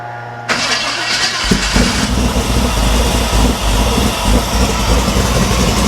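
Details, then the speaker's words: Abandoned 1973 Chevrolet C10 Cheyenne Super 10 big-block with EFI, just fitted with a quieter muffler about 10 dB lower: cranks, catches and settles into a lumpy idle with a dull knock near four a second; owner believes rod knock, bottom end noise. "I know the camera's back there, but with a quieter muffler, this motor has a rod knock. At least that's what I think it is. Well, unfortunately, I believe we do have a bottom end noise."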